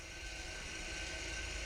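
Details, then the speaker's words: Porsche Macan rear brakes, scanner-commanded parking brake service mode with ignition on, in park: steady, even electric motor whir with no grinding as the caliper fully retracts; normal electric parking brake retraction. "enter now you can hear the caliper retract itself all the way"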